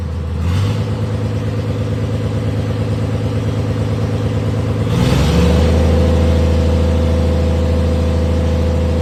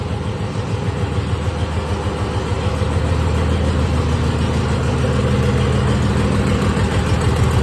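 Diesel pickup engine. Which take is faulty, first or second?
first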